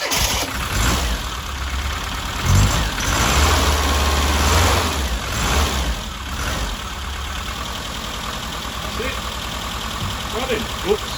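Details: Classic Mini after long storage, fuel tank and pump work, first start: catches and settles into slightly uneven but steady low idle with no knocks or misses; running fine.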